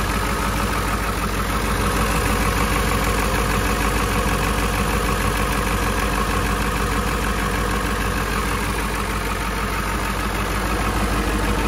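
Loud, steady diesel clatter at an even idle rhythm that holds without misses or stumbles through the cold; a healthy cold idle.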